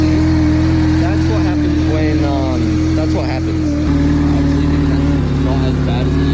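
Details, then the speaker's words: Crash-damaged Mercedes coupe with misfire and mass airflow sensor codes: loud uneven running with steady droning tone and lumpy beat as it revs; owner suspects throttle body, not confirmed. "we've got misfires um our throttle body has an issue our mass airflow since it has an issue can probably hear it on on this so if you can't hear it oh I don't know you should be able to hear it because it's really loud and we think it's coming from here which means the throttle body"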